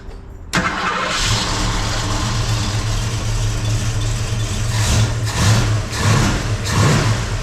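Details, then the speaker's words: 1971 Ford Mustang convertible 302 V8 after rejetting the Holley carburetor one drill size (about an 80 jet): catches quickly, steady lumpy idle, clean blips with no stumble; vacuum about 13 at idle, slightly oscillating; runs much better. "Well, it runs a whole lot better now, so I'm good with that. Good running 302."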